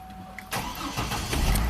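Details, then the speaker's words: 2005 Chevy Trailblazer with a no-crank complaint; a starter mounting stud snapped, so it needs a new starter. It still starts on the current starter with a brief crank, catching at once into a steady, even idle. "amazing good old chevy so i'm going to tell the owner eight get a starter but you can get it home good news right good deal"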